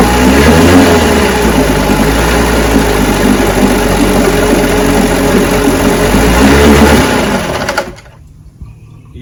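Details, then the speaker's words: 10 HP Johnson QD-23 two-stroke outboard, test run on a known carburetor before fitting a rebuilt one; loud, even buzz holding steady speed for several seconds, then a clean shutoff; normal running. "yeah she runs so now I'm going to take my carburetor off and slip Scots on it but I'm going to have me some coffee first"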